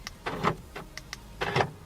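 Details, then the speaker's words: BMW Z4 with EWS, programmed key: a few quick clunks from the door lock actuators as they unlock; the lock command does nothing, and the owner suspects the key or its middle button. "unlocks but it doesn't lock I don't know this is cuz of the key maybe the key doesn't work the middle button doesn't work but actually unlocks this vehicle"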